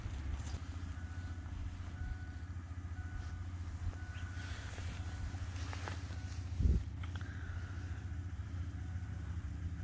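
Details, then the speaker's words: 2006 Ford F250 6.0 Powerstroke diesel just after installing a No Limit cold air intake, started and idling before warm-up: steady low diesel rumble at even idle with one brief louder thump; normal idle. "So, truck is running. You guys heard the little start that she's got. We're gonna let her warm up and go to town."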